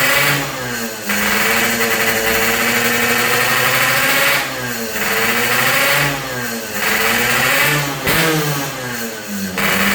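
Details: Yamaha RX King two-stroke after repairs for compression loss (worn right crankshaft seal and O-ring, resurfaced block, fixed head leak), air-screw tuning: crisp blips rising and falling smoothly, back to steady idle, no misfires or knocks; running properly.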